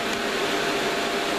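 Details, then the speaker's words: Two fans newly mounted in holes cut in a valve PA amplifier airbox: a constant airy whoosh with a steady mid hum, no rattle or wobble; still fairly noisy but quieter than the earlier arrangement. "this is sealed so it's quieter oh I'll give you a demonstration now it sounds still quite noisy"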